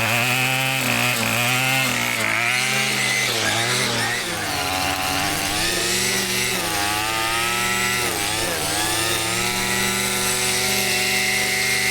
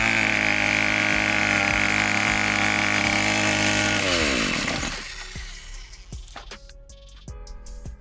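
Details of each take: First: Two-stroke weed eater after carburetor adjustment: steady high buzz, revving up and down cleanly with no stumbling, cutting out or rough idle. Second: Weed eater that cranks but won't stay running, before carburetor adjustment: steady high buzz for about four seconds, then pitch sags and winds down until it quits; bogging and stalling, carburetor adjustment suspected and later fixed it.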